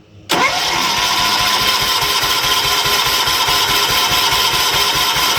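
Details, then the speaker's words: 1970s John Deere 212 lawn tractor, unrun for years, first start after carburetor bowl gasket reseal with choke on: catches with rapid steady putter, then stalls; fuel may not yet be reaching where needed, may need choke to keep running. "Yeah, this got to take a minute to get fuel where it needs it. And it may need some choke to keep running if it's not."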